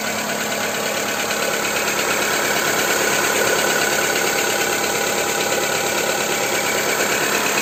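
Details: Skoda Fabia 2 with 1.4 engine, after Ceratec treatment: steady idle with a light, regular tapping about three times a second over the engine hum; engine knock at idle, cause unclear.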